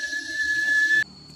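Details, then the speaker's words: Kettle heated with half the water volume in a physics experiment: one thin, steady high whistle for about a second then cutting off, a small but still audible whistle. "dan kita pada percobaan Ini menghasilkan bunyi yang kecil namun masih terdengar"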